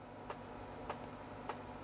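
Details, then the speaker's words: Sony VAIO PCG-FX501 laptop internal floppy drive during a full (non-quick) format: three crisp ticks roughly every 0.6 s over a quiet hum as the head steps track to track; progress bar updating correctly, drive works. "don't know how well you can hear that but it sounds like it's moving correctly the progress bars updating correctly so that's all"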